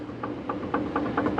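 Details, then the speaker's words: Ford Crown Vic with 7.3L Godzilla swap, rear diff upgraded to 3.73 LSD, reassembled with original shims: faint crisp little clicks about four a second as pinion is rocked, a hair of slack; backlash judged right. "you can hear it it's like barely so i think it's perfect"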